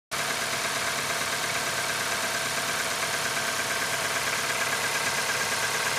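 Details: QG18DE engine cold start at -15 °C idling with a fast, fairly regular ticking knock about three per second over a bright, hissy run; cold knock, cause unknown.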